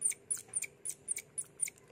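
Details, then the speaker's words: Car windscreen wiper linkage, slow and noisy: sharp high squeaks about four a second as the linkage turns, from a rusted metal pin binding in its white plastic bushing; the fix is lubricating the pivot. "So masalah dia kat sini ialah besi yang ada dalam plastik putih ni dia dah karat. Jadi dia sangat berat."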